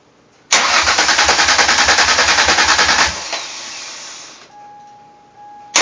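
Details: 1999 Mercury Cougar after swap from 2.5 V6 to 2004 Taurus 3.0 engine with new injectors wired in: starter spins evenly about three and a half turns a second for three seconds but never fires; crank no start, cause unresolved.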